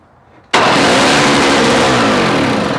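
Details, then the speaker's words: Old Snapper two-stroke engine for Toro snow-thrower swap, choke on, fresh two-stroke fuel added: fires abruptly, revs high and harsh without settling; rough running, blamed on misset carburetor float, carb gummed. "Yeah, I think what's happening is, like I said, that float's not set right. So that's what your problem is. But this motor runs, and that float is not right."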